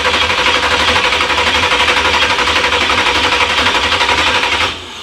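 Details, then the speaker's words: 383 stroker Monte Carlo SS, first start, electric choke not hooked up: steady fast starter cranking with no firing; carburetor bowls look empty, no fuel reaching the carb, later leaking from the carb; cranks but no start. "Any fuel in there yet? I can't tell. It's too dark. it does look empty."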